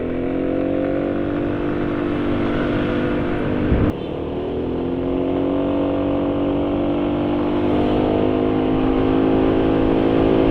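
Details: Yamaha NMAX scooter, intake under the left footstep. Revving with a hollow, snoring drone that rises with throttle; the intake resonator has snapped, letting air in freely. Owner plans a makeshift fix using a spray-can cap.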